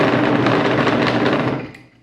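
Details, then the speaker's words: Small fan deliberately unbalanced with a bolt, variable frequency drive, sitting flat on a table with no vibration isolation: loud, harsh buzzing rattle dying away as it spins down; fan imbalance vibration. "and don't want to leave it on too long cuz it creates quite terrible noise and annoying everyone in the building that's because it's way out of balance and it's sitting flat on this table and it's got no isolation whatsoever"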